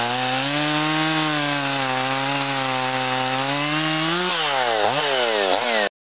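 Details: Husqvarna 55 chainsaw on a test cut: strong steady two-stroke howl that bogs and dips as it bites the wood; engine runs strong but fine sawdust shows a dull chain needing sharpening.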